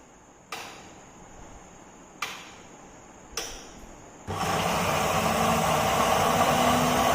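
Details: Mixer grinder after fixing loud screeching by tightening the motor: a few clicks, then a steady even whir with no screech or rubbing; runs healthy.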